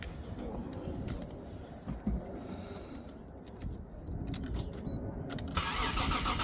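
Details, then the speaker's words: Toyota Supra after rebuild work (engine reassembled, fuel pump fitted, wiring tidied), before its UK MOT: it catches and settles into a steady, even idle with no knocks, misses or hunting; smooth, if a bit fuelly. "It's sounding very nice. That sounds smooth. Bit fuelly."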